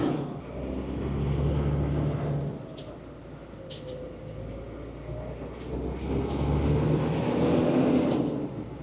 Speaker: Voilà, on n'entend rien claquer, tout va bien. Ça marche parfaitement bien.